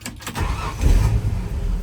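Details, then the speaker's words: 1978 Ford F-150 Ranger, 300 inline six, 4-speed manual, new muffler, started cold (temp gauge not up): deep low rumble as the six fires and settles to an even idle, no knocks or misses; clean normal cold start. "Well, these six cylinders, they run like a watch."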